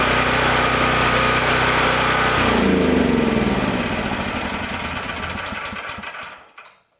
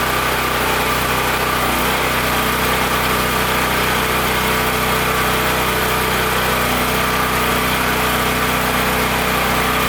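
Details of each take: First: Powerstroke 6000 W generator with a 14 hp Honda-clone engine, after rotor repair and a governor adjustment made by bending the governor tab. A steady, even hum with a constant whine holds a couple of seconds, then winds smoothly down to a stop. Healthy. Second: Powerstroke 6000 W generator with a 14 hp Honda-clone engine, after rotor repair, loaded with a 500 W heater and a light bulb. A steady, fairly high-pitched drone with no hunting; frequency is too high, target about 61.5 Hz. The governor needs turning down.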